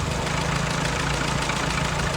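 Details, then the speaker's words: Early-1942 WW2 Ford jeep barn find, 79 years old, unrestored engine: steady lumpy idle creeps up as the carb mixture is turned out from too weak, where it was dying, toward the right setting. "speeding up a bit probably about there and it will slope back off it back it off"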